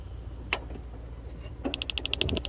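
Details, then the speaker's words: Brand-new propane stove burner in a 2019 Chevy Express 3500 LT 6.0L camper van: a quick train of sharp, even spark igniter clicks before the burner lights; normal igniter, still needs working in to start well. "So you can hear it clicking. It's on now. It's hot. Nice little burner."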